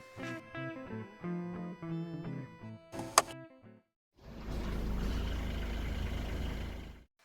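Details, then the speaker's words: Used Mercedes, radio off, listening to the starter: after a short crank the engine catches at once and settles into an even, steady run with no stumble; normal effortless start, whereas hesitation would point to battery or starter. "So when you start your car, it has to start like this. No effort, easy."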